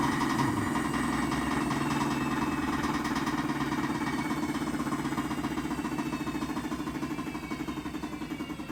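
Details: 2006 GE Adora washer (made in China) in spin cycle: heavy rumbling roar with rhythmic thumping as the drum spins down, from a worn drum bearing, broken spider and failing drum drive pulley.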